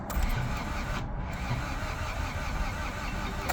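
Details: Honda Civic EF sedan, crank no start after timing belt job with new distributor and spark plugs: starter churns steadily over three seconds with even compression pulses but never fires; compression 90–115 psi.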